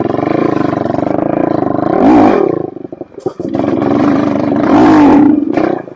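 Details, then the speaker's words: 2007 Suzuki LTR450 quad that won't take throttle and backfires: single-cylinder rasps up on throttle twice then sags and stumbles; suspected fuel starvation, with removing the fuel filter suggested. "Feels like it's taking no fuel."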